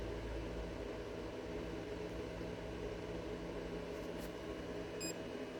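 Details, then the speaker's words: Bluetti AC200MAX solar generator charging, 480 W input at 40% charge; a steady, even fan hum over a low electrical drone with no rattle or whine, the cooling fan running normally. "You can hear it humming away. Got a nice little fan in there so it doesn't overheat."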